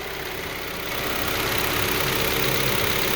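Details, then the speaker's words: 2012 Kia Forte just after a timing chain replacement, fresh oil change and clearing of two valve timing codes, timing cover silicone not yet cured overnight; it starts and settles into a steady, even idle with no knocks or misses. Normal idle. "sounds as it should running good"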